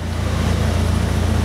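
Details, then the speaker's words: Mitsubishi Eclipse with faulty upstream O2 sensor stuck reading rich (~600–670 mV) while downstream reads lean, long-term fuel trim −24%, P0300: uneven lumpy idle, chugging badly several pulses a second; lean misfire caused by the lying sensor. "you can hear near the vehicle maybe you can it's chugging very bad long-term fuel trims - 24%"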